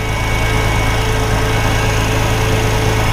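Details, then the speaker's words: 2004 Porsche Boxster 986 with code P0492, vacuum system holding with no leaks found, cold start at idle: constant vacuum-cleaner whine from the secondary air pump, which runs for the first few minutes then kicks off; normal operation. "I can hear it whining too so basically they said this thing's supposed to sound like a vacuum cleaner for the first few minutes when you start the car when it's cold and I can hear it running okay it just now kicked off"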